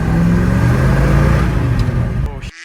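Deep, uneven running rumble that suddenly sags and cuts out within three seconds, a stall traced to the wrong spark plugs.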